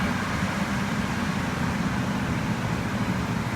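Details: 2003 Ford F-150 with a no-start complaint, cranked and running after the battery terminals were cleaned: steady, smooth low rumble with no misses, knocks or stumbles; normal idle.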